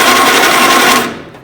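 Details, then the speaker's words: 1948 Willys Jeep CJ2A with flathead inline six, first crank via solenoid and push-button starter: starter spins the engine very fast with a busy, even rattle for about a second; likely an old 6-volt starter on 12 volts, not confirmed. "the motor cranks over pretty quickly. So that's good, but it's probably got an old 6-volt starter. So those tend to spin pretty fast when you're putting 12 volts through them."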